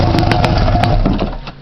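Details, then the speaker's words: 1997 Arctic Cat Puma 340 snowmobile started on choke with the rusted, leaking muffler removed: loud raw two-stroke bark, fires briefly then sputters and fades; open exhaust, muffler removed. "yeah it's loud no doubt about it it is loud"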